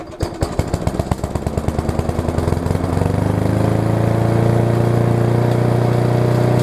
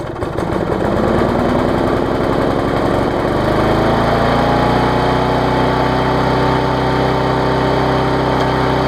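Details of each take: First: Yard Machines push mower, about 1999, possibly too much gas; small engine fires in uneven lumpy pulses then settles into steadier drone; owner suspects bad carb diaphragm, to be replaced with air filter in general service: rough running. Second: Yard Machines push mower, after a tune-up (auto-throttle straightened, carb diaphragm, air filter, oil change, blade sharpened): stumbles at first while burning off excess fuel, then settles into a steady, even high-speed run.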